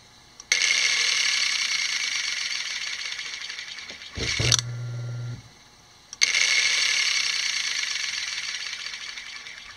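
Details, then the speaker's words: Piano motor that would not start, reassembled after armature removal and servicing: instant start into a steady high whir, cuts off and restarts cleanly without faltering; normal running. "now we have the motor reassembled got power to it and we're going to plug it in and see what we have instant start and again no failures"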